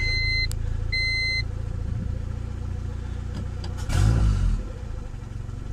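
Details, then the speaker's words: Honda with Skunk2 intake manifold, refitted 70 mm throttle body, E85, 33° timing, after high-idle fix: steady low idle around 1000 rpm, throttle blip drops back quickly; owner suspects the IACV had been leaking. "how now it drops down really fast hold on let me get a little situated under here I'm gonna tap the gas and it comes on really quick guy not really quick but quicker than did before and the idol was nice and low"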